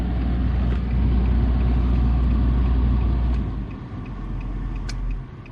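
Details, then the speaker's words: 2016 Nissan Versa HVAC blower motor, just replaced after the old one stopped working at all speeds: steady low whoosh and even motor hum, no squeal or ticking, easing down as fan speed drops; normal blower motor operation, all speeds working. "I can hear it. And yeah, it feels it feels perfectly normal. Plenty of air blowing."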